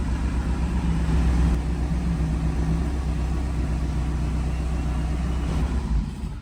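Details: BMW Alpina D3 BiTurbo E92 coupe diesel idling after rebuild following a knocking engine: steady, even low rumble with faint clatter, no stumbles or knocks; running healthy.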